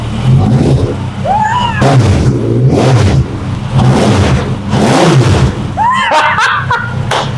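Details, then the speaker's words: Crashed formula car with a swapped 1250cc Suzuki Bandit sportbike engine on new ignition coils and spark plugs, first start in about a month: deep, even note rising cleanly on quick throttle blips and settling smoothly. Normal revving. "Now, this is the first time I've cranked it up on these new ignition coils and spark plugs. So this is the first time I've started it for like a month."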